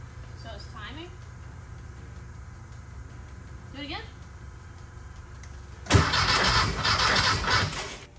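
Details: 1968 VW Baja Beetle after wiring, starter and key-cylinder terminal cleaning: after a quiet spell the engine fires and runs loud and lumpy for about two seconds, before carburetor and timing adjustment. Normal engine start.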